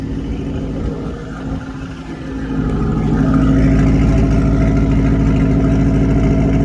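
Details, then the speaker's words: Corvette drift car V8 running after a new starter, first start: a deep, even burble settles to a smooth idle with no knocks or misses, at 50 psi oil pressure. Coolant is leaking through the heater core. Normal idle. "Sounds like it's running fine back here."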